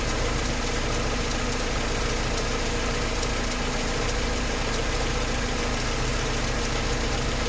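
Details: Mercedes 190E engine at idle; light, quick, uneven ticking about three or four per second over a steady low hum: rhythmic idle ticking, source not identified.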